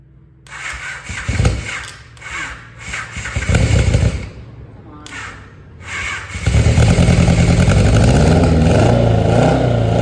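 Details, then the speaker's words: 1983 Honda Nighthawk 650 that sat since 1987, new plugs fitted, starter powered directly: several cranking bursts, then it catches and settles into a steady, even low thump at idle; clean first start after long cranking. "So, after cranking and cranking yesterday, we finally had a successful first start."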